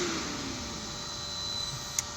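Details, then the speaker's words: Motor on a Powerflex 525 VFD with DC injection braking (P045, A434/A435, brake level raised): faint steady whine over fan-like hiss as the motor stops much faster than before; normal braking. "You can hear that little whine because it is coming to a halt. And you can see that it stopped much faster than it did before."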